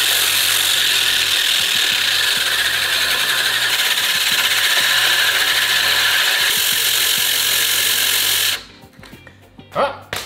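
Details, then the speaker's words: Residential reel mower, drill spinning the reel backwards against the bedknife with 120-grit Mower Mate lapping paste; steady even gritty rasp with no knocks, then stops, backlapping going well. "So yeah, you paste it on while you've got this spinning backwards, so it's gonna be a bit fiddly. Yeah, just paste it across."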